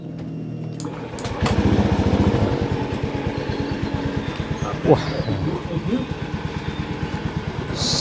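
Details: Honda Scoopy scooter with a humming-noise complaint, after repair: starts cleanly and settles into a steady, even thrum of about three beats a second with no knocks or whine; the remaining noise comes from the side body area.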